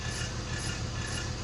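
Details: 1999 323i automatic, with the rear wheel spinning: a rough, scraping grind that repeats with each wheel turn. A transmission oil change did not fix it; something is rubbing at the wheel, possibly the brakes, cause unconfirmed.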